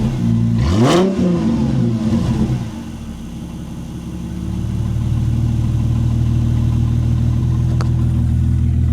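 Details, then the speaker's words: Mercedes SL R230 cold start after rear brake pad change and SBC reactivation: starter whirs briefly, catches with a sharp rev flare, then drops to a smooth, steady cold idle. Normal cold start. "So I'll tell you what, let's give you an idea what the cold start sounds like on my Mercedes SL."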